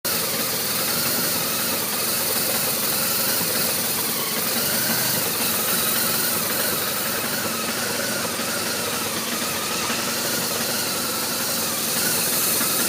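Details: R1200RT motorcycle at idle (part 2): a busy, uneven idle with restless mechanical clatter and no steady beat. Rough idle; cause not evident.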